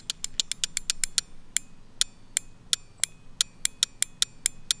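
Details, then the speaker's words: Chevy truck relay (Vortec V8 truck) bench-tested by applying battery power to coil: crisp sharp clicks in quick bursts, each clean and firm; relay is good. "So if you don't have a multimeter, what you're gonna do is you're gonna apply power to the relay and you're gonna listen for a clicking noise. If it clicks, clicks, clicks, clicks a lot when you touch it to the battery, it's good."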